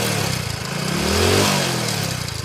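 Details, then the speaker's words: A second single-cylinder bike with no smoke at the silencer revs up and back down with a loose "galagala" metallic chatter riding on the beat, rising with revs. The mechanic diagnoses a failed timing chain with valve noise. "బండి engine లోపల గలగల గలగల అని sound వస్తుంది, విన్నారు కదా."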